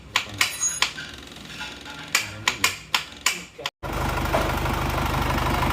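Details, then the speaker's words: Isuzu Panther diesel rebuilt after running out of oil and seizing, crankshaft reground and liners redone: a few sharp knocks, then it catches and settles into an even diesel clatter with no misses, idling normally. "ini Lur sudah hidup yang baru saja ee bubut askrek ini balik liner"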